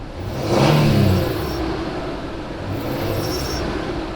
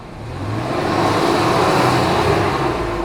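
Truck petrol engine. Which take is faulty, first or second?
first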